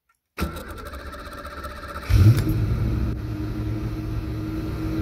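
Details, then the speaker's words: 1991 Ford Fox Body V8 with a Holley Terminator X and the stock Ford idle air control set way open: the starter cranks, the engine catches with a loud flare, then holds a fast high idle, about 2,000–2,500 rpm. "because that torque position is way open so that idle air is giving us plenty of throttle probably at 20 2500 rpm"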